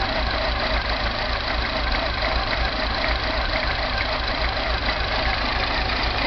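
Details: Mini idle with an uneven, lumpy beat around three or four pulses a second and a faint tapping underneath; rough idle with no codes stored, timing chain suspected.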